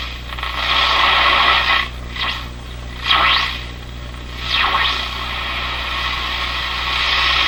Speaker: laredo's reception's going up and down because I'm getting close to the antenna let's check it out it's working pretty good already